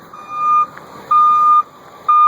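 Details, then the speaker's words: Newly installed Ecco 575 backup beeper on a 1989 Chevrolet Thomas bus, wired from the transmission reverse light switch and mounted on a rear crossmember, engine running in reverse with parking brake set: loud, clean single-tone beeps about half a second apart; alarm working. "Yeah, you can hear it good and loud."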